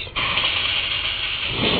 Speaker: hear that crackling noise that means it's running out because look it's empty